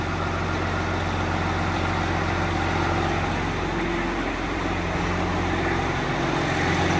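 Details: Freshly rebuilt 12.7 L Detroit Series 60 diesel, after electronic runaway traced to possible moisture arcing harness pin connectors and cleaned: steady low rumble with even beat, no runaway rise in revs. Normal idle.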